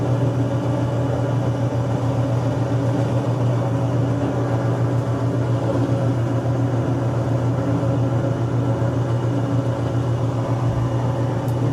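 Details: Washing machine spinner with water present: a steady low motor hum that never builds speed; the spinner is faulty and turns too slowly.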